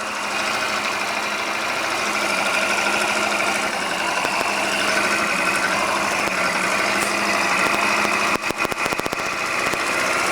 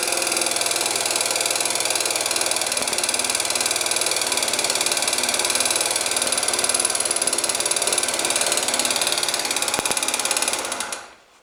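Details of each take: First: Scooter engine after repair with new crankshaft and new piston kit, replacing a factory-defective piston with skewed pin that knocked: smooth, even idle, only soft gear rustle, no knocking; normal. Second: Scooter engine with new crankshaft, piston (0.04 mm clearance), camshaft, chain and tensioners idles with a sharp, ringing metallic knock; later traced to the piston.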